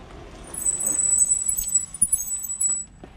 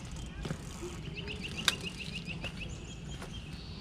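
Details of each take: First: Fiido L3 e-bike factory mechanical disc brakes: high, steady squeal while braking that adjusting and cleaning didn't fix; later fixed by upgrading to Zoom DB680 dual-piston calipers and Tektro E10.11 pads. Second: Fiido L3 e-bike rear brake after upgrade to Zoom DB-680 and Tektro E10.11: only tyre and frame rumble and stopping thunks, no squeal or pulsing, more stopping power than stock; quiet disc brake.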